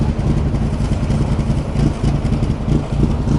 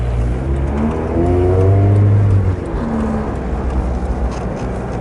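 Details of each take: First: Engine idling after a camshaft/exhaust-intake swap: deep, uneven loping idle about three to four beats a second that stumbles, won't idle coming off power but holds the lumpy idle with feathered throttle. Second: Engine after an exhaust-intake swap, on a test drive pulling through low revs: deep, even exhaust rumble, no knocks or misses, running smoothly in the bottom end.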